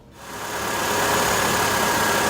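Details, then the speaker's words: 2012 Nissan Altima idling after new serpentine belt and splash guard installation; smooth steady hum, no squeal or chirp, belt aligned; normal idle. "I've got my belt on. You can see that it's checking it to make sure it's aligned, it's not making any noise."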